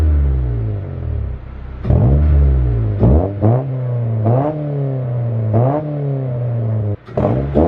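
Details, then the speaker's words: Honda del Sol with a single-overhead-cam VTEC engine and a newly installed carbon fibre intake, revved with the camera near the intake: sharp throttle blips, revs climbing and falling cleanly with a deep intake roar; healthy. "but yeah the intake sounds really good that's for the exhaust it's a nice tone like it's not like a rice burner you know your typical Civic rice burner type of sound it's actually a nice good tone"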